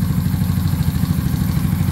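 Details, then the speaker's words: Honda Pop motorcycle with built 190cc engine and aggressive cam, original ECU, first start: steady single-cylinder idle with even low thump and light mechanical clatter; valvetrain noise judged normal for the hot cam. "é um motorzão desse não vai ser igual o original um barulhinho vai fazer e o comando aqui é um comand bruto bruto não tem jeito comando vai fazer um pouquinho de barulho rapaziada"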